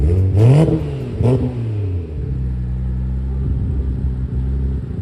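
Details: Big-turbo Toyota Supra first start-up with custom true 4-inch exhaust; two sharp throttle blips drop cleanly to a steady, deep, even idle, turbo whistle audible; small oil leak at the oil cooler sandwich plate. Normal idle and revs.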